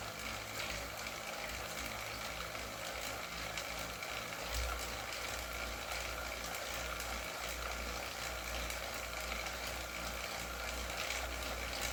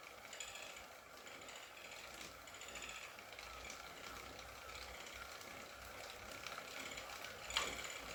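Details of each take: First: Wahoo KICKR CORE trainer with Zwift Ride on a rocker plate, at 90 rpm cadence and 170 W; a steady flywheel whir with no repeating clicks, running smoothly in this stretch. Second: Wahoo KICKR CORE trainer with Zwift Ride on a rocker plate, slow pedaling: quiet hum with faint, irregular light clicks and one sharp tick. Intermittent clicking, reportedly a known trainer fault, and the unit was replaced.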